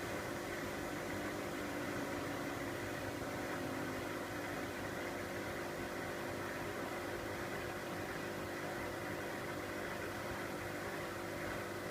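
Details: Miele W562 Prestige Plus 6 washer on Cottons 60°C with Water Plus: even whirring with faint motor tone easing downward as the drum coasts to a stop after an unbalanced, longer spin; normal spin wind-down.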